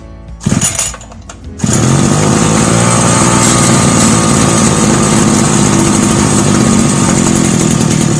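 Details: Two-stroke brush cutter after basic no-start troubleshooting steps: a few handling knocks, then the engine catches and settles into a steady, even buzz with no misfires. It runs healthy.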